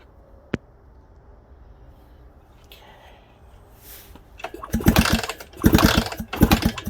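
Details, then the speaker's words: Suzuki DS100: a few irregular kick-over bursts with no firing or catch, and no spark even when trying the switches. "Nope, no spark there. None there. I'm trying the switches. Okay, nope, no spark there. Alright. So we still have no spark."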